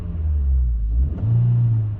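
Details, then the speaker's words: 2022-2024 Honda Civic Sport hatchback 2.0 manual, free revs in neutral: after each blip revs hang high before dropping to idle; not present when shifting while driving. "See how they just hang up? When I let off the throttle, they sit up there for a minute. It's not a very attractive noise, and you can't really rev the car up like you should be able to hear it."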